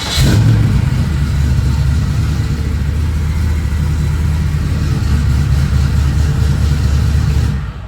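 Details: Engine after fuel pump work, before raising fuel pressure regulator to 54: deep, even rumble that revs briefly then settles, no knocks, misses or stumbles; fan noise nearby.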